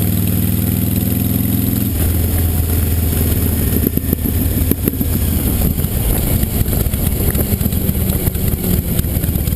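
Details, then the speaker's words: 2005 Honda VTX1300 V-twin on test ride after air box work: deep lope drops off throttle into irregular crackles and pops on deceleration; mechanic suspects slow jet circuit problem or jetting issue in the carb, unconfirmed. "I suspect either we do have a problem in a slow jet circuit the way she's popping on D cell in particular or maybe a jetting issue"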